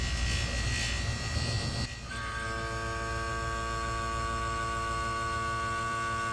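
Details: Newly installed rebuilt Harrison A/C compressor system; vacuum pump switched on before charging, runs half an hour: after a clatter it settles into a steady electric hum with clean even tone: normal running.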